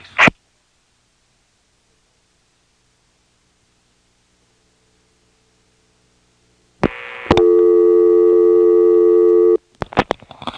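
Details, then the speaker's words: March 1977 Carolina Telephone step-by-step exchange, Washington NC, coin phone call to operator: silent line, click, then a steady buzzy two-second tone as the operator answers, a class-of-service tone reportedly placed by the operator trunk circuit marking a coin line. "of course that little tone when she answers is to let her know that I'm calling from a coin phone it's very clever how they do that"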